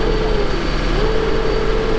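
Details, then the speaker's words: Humvee driving forward in high range after repairs: a loud, steady, deep roar with a faint even tone above it drowns out the quieter engine. The fan clutch is engaged and the fan is very loud; it is not the transmission. "Yeah, the fan clutch is exciting. Yeah, the engine's quieter, but the fan is loud."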